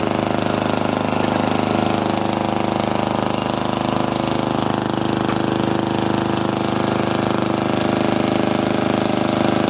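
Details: Custom riding mower on a cold day with the muffler removed: a loud, raw, rapid bark from the small single-cylinder engine running steady through the open, unsilenced exhaust. Nothing mechanical is wrong; a muffler is fitted afterwards.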